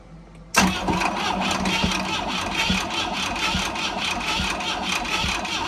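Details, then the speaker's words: Boat engine not run in 15 years, just freed from rust seizure by hand: spins over at a steady cranking rhythm for several seconds but never catches; suspected fuel starvation, tank possibly empty after draining, carburetor being checked. "maybe the tank's empty i did drain it i don't remember i thought i put gas in it but maybe i didn't"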